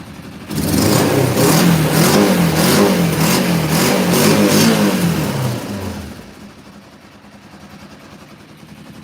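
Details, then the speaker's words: Motorcycle started cold in snow, after sounding like it ran on one cylinder on high choke: blips up and settles with an even, steady firing beat, no misses or knocks; now running perfect once warmed. "Now it's running perfect."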